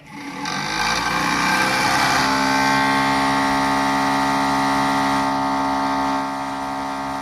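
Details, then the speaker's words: 1965 Mustang convertible heater box blower, removed from car: steady whirring hum with a wobble about three times a second; the fan is out of balance on the original motor and the motor bearings are badly worn. "so not a very good noise originally the man in the front of the motor would have been balanced together i read so uh you buy a new fan for it and uh there's the fans balanced and the motor's the original motor and it's got really worn out bearings in it"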